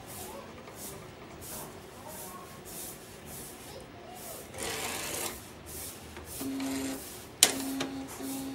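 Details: A3 DTG UV flatbed printer built on Epson SureColor P400 motherboard with DX7 print head, after motherboard and head replacement: repeated carriage sweeps with whirring rasp, then short beeps; startup fails with error 52H (paper jam); APG sensor suspected.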